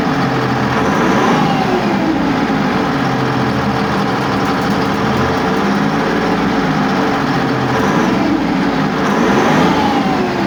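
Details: Test run of a YPR 756 armoured vehicle engine after repair: heavy diesel running steady and loud, pitch drifting gently with throttle, no knocks or grinding. Sounds sound.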